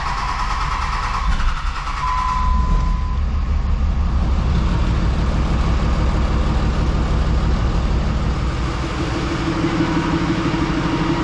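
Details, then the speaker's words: 3rd-gen diesel with new BD Diesel 90 hp injectors at idle: heavy, rough, uneven knocking clatter over a deep rumble, white smoke. Owner suspects overfueling injectors; disabling each injector never stopped the smoke. "So I go fire it up and right away it's running, knocking like crazy, smoking white. I shut it off and it doesn't want to shut off."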